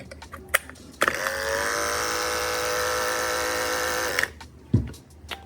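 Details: Andis clipper after repair: the drive was bad, and a busted bearing with hair stuck inside was replaced, leaving no armature play. Steady, even electric buzz at one pitch with no rattle or grinding; motor runs normally.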